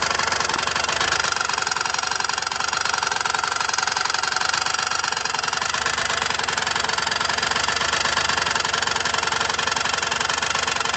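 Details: Derbi Senda: fast, rattly ticking, roughly three per second, over a buzzy idle; an abnormal knock from the engine, cause not yet found.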